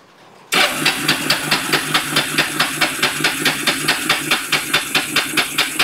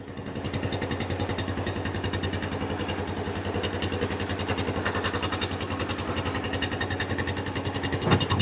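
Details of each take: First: Kawasaki Bayou 300 ATV parked two years, after carburetor cleaning, choked: steady starter churn about two compressions a second, never catching; flooded engine, spark plug covered in fuel. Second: Kawasaki Bayou 300 ATV, parked about two years, after carburetor cleaning with good spark confirmed despite a weak-sounding starter: the single-cylinder engine starts and chugs at a steady, even beat with no misses; normal running.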